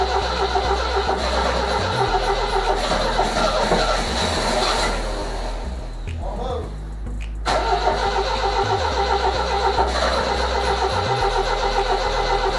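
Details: 1978 MGB convertible after replacing both bad relays, first start: cranks, catches, then runs lumpy with sputters, pops and a dip; plug wires suspected swapped, possibly cylinders 3 and 4.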